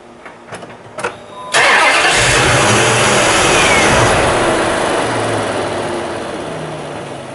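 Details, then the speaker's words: Ram 1500 with the 5.7 Hemi, baseline crank on its own charged battery before testing jump starters: a few light clicks, a brief crank, then an immediate catch to an even idle. A healthy start, drawing 199 amps at 11.48 volts. "So I'm going to crank the truck and then we'll know what the starter normally pulls."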